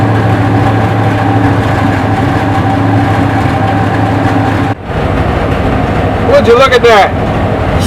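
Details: 1968 Chevy C10 V8 just revived after sitting 15–16 years on old fuel: deep, steady rumble holding even through a throttle blip, no misses or knocks; good oil pressure, runs strong and healthy, maybe needs a touch of tuning.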